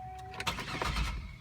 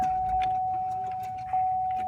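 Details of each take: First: 2003 Buick LeSabre, 3800 Series II 3.8L V6, 74,000 miles, cold start: short starter burst after door chime, engine stumbles without catching cleanly on first try; hard starting, owner guesses it needs a tune-up. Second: 2003 Buick LeSabre Custom, 3.8L 3800 Series II V6, 74,000 miles, usually hard to start cold; warmed to about 106 degrees coolant: chime then starter catches almost instantly and runs smoothly; normal warm start, owner suspects tune-up needed.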